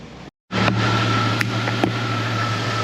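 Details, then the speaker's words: Right-hand-drive Jeep Cherokee mail Jeep that ran fine but misbehaved driving, roughly 26,666 miles: steady, even hum with a faint whine and no stumbles after days of chasing problems; smooth running engine, owner only hopes it is fixed. "I'm trying to stay positive it seems like it's running smoother so I don't know I hope so"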